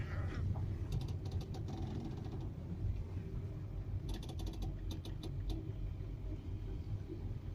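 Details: VW Touran, front end: bursts of sharp clicking and creaking over a low rumble when steering at low or no speed, slight noise over bumps; owner unsure if strut mount, sway bar link or other; creak/clunk when steering.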